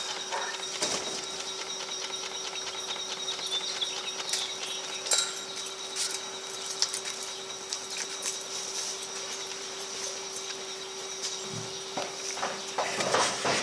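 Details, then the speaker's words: Cheapest portable folding washing machine, 36 W, while camping: a quiet, soft steady hum with light ticking and rattles during normal agitation. "It's very quiet, I'll give it that much."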